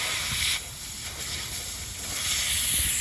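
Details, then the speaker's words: Evcon 3-ton 36,000 BTU central AC with R410A, microchannel condenser coil, not cooling; ultrasonic leak detector picks up very loud steady hiss, confirmed by soapy water bubbles at condenser coil; refrigerant leak. "it's so strong it's very very loud remember it's an ultrasonic leak detector we're gonna need to get the soapy water all right we found our leak right there"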